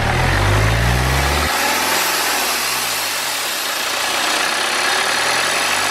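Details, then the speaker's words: BMW N47 diesel after engine-out timing chain and gasket work, hood up, revved into boost around 2500-3000 rpm: loud rushing hiss over the rumble from pressurised air escaping, a boost leak. "okay so we can see exactly what our problem is now we can see that we have an air leak we have a boost leak"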